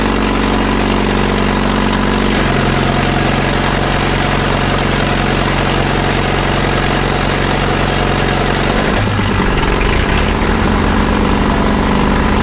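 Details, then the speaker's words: Caterpillar D2 (#5J1113) diesel at low idle on first start after full pony motor and diesel rebuilds: slow steady idle with even low thump, no knocks or misses, hitting on all four cylinders; sits nicely at low idle. "i think it's hitting on all fours it sounds pretty smooth it runs so"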